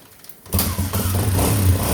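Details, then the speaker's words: 1985 Honda XL 250, 35 years old, started on choke: catches and settles into a smooth, steady low idle with no misses or tapping, purrs like a kitten; healthy single. "Purrs like a kitten. It's a real smooth bike too."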